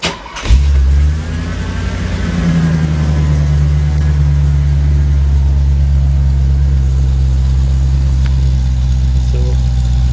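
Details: Mercedes R107 450SL V8 idling in Park; a deep, steady exhaust drone from the cheap Imasaf middle silencer, noticeable below 30mph, recorded before fitting an OEM-style replacement.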